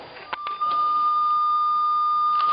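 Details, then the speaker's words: Race-timing communication equipment linking the timing building with start and finish. A sharp, steady high squeal near one kilohertz sets in and holds: audio feedback from a plug not seated correctly; seating the plug properly stops it. "If you have that squealing feedback, it's because this plug is not seated correctly. When you seat this plug correctly, it will all work."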